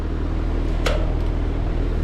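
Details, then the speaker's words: Trane XV heat pump outdoor unit during a fan test, with a whining noise complaint: low, steady fan hum with no whine or grinding, one brief click. This is how a normal fan sounds. "control fan test see what it sounds like that's normal so that's what it should sound like"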